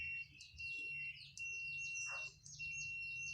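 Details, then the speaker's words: Sanken CRT TV dead, multimeter continuity buzzer test on the 440 electrolytic capacitor in the power supply: steady high tone near 2.7 kHz, reads shorted; short was actually from the failed power supply transistor. "Ternyata ya konslet di elko ini ya. Kita periksa di elko ini aja dulu. Kalau dia konslet berarti busernya bunyi kayak gini."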